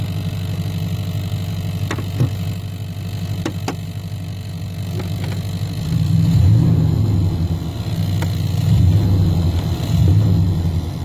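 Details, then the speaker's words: 1990 Chevrolet K1500 Silverado idling with low steady rumble and scattered sharp engine-related ticks buzzing through the floorboard/firewall, carpet removed while tracing the source. "all right you guys i've got a interesting ticking noise coming from the floorboard area here"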